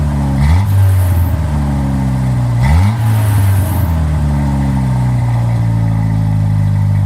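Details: 1997 Jeep Wrangler 2.5 with new front pipe, MagnaFlow cat and Flowmaster Super 10: smooth, even four-cylinder note rising cleanly on two quick revs and settling back; no rasp, rattle or leak ticking.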